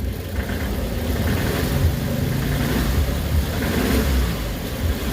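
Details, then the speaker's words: Suzuki Carry with low power, struggling on hills, warmed up, before engine treatment: revved at about half pedal, shaky uneven low drone that never settles; engine runs rough with vibration. "Ninginig siya no? Normal nanginginig. Uminit na yan. Ah okay so may konting vibrate siya no"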